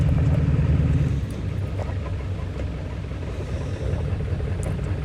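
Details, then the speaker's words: 1997 Ford Powerstroke diesel with hard starting, after about 20–25 minutes running and on the road: a heavy low rumble with an uneven pulse around three a second. It runs a bit better but still rough, then runs perfectly after hard highway acceleration; cause unknown. "can hear it it sounds a little bit better but it's still not perfect"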